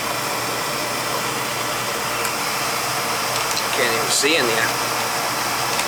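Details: Old oil-fired boiler during service, fired up: smooth steady roar with constant low hum and airy hiss, no rattle or grinding; burner running, quieter than before, needs replacing; limits 170 low, 190 high.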